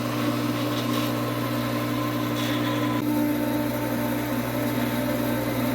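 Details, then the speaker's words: Swimming pool pump during opening, after priming through the suction-side ball valve: steady electric hum with an even water rush and no gurgling; the pump has caught its prime and runs normally. "yeah if you hear the sound it's a little different now it's running a bit"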